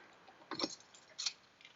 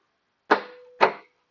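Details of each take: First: Stuck trunk latch after working the mechanism: a few faint clicks, then one sharp metallic clack as the latch pops free cleanly; normal release. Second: Trunk latch on an older car, remote release pressed: two sharp mechanical clacks half a second apart with a faint buzz between; the actuator works but the dirty, stuck latch won't rotate, to be cleaned and lubricated.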